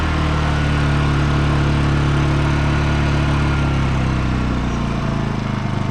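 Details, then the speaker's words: Honda EU2000i inverter generator fitted with a cheap new carburetor, its original throttle servo transferred, holds an even hum and then drops smoothly to a lower idle without hunting: normal idle. "Idle down just nicely when you need to, and idle up. Just like that."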